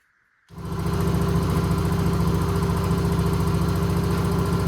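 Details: Husqvarna YTH20K46 mower, replacement 20hp Kohler Courage SV600 engine first fired after swap, new air filter, little gas, oil added: catches and settles into smooth, even beat about 3.5 per second, no knocks or misses; normal running.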